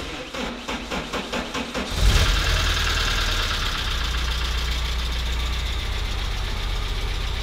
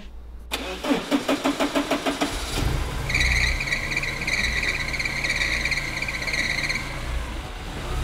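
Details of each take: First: Porsche 944 S2 first started after over a year off the road: cranks, then catches into an uneven, chuggy, tractor-like idle with a busy ticking top end; oil pressure is good, and the cause of the roughness is unconfirmed. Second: Porsche 944 S2 first start in over a year, after clutch bleed and fan temperature sensor replacement, weak battery: starter churns through a dozen quick compression beats, then it catches and runs steady and even; normal running.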